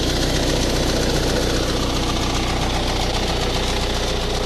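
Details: Ford Focus 1.8 TDCi 115 diesel at steady idle: a fairly regular ticking knock of about two or three per second over the clatter; shaky around 1000-1100 rpm and louder after 10 minutes of driving; diagnosed as a faulty high pressure pump.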